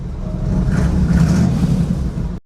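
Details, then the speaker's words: 1963 Chevy Nova 4-door, 283 small-block V8, three on the tree, heard from inside the car after a quick new exhaust with mufflers and a balance tube: deep, even low rumble, no rasp or leak; much quieter, sounds tough. "From inside the car, this thing sounds Pretty tough, actually. I'm impressed for a very, very, very quick exhaust system."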